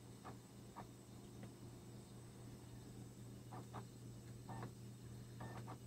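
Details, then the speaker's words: Laptop optical drive trying to read a scratched burned CD: quiet hum broken by short, irregular scratchy clicks every second or so as the drive keeps retrying seeks. "and I perfected nothing's happening if you're trying and trying and trying it sounds like it's trying very hard I mean II but I don't think it's ever going to find anything to read"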